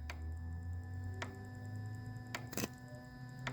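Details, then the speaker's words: 2004 Chrysler PT Cruiser 2.4L turbo with codes P1188 and P0340: the boost control solenoid, powered directly through a fused jumper lead, gives crisp single clicks about once a second over faint music. It switches on and off normally. "the next thing i want to do is i want to plug the solenoid directly in to listen to the solenoid click off and on and not only can i feel it but i can hear it"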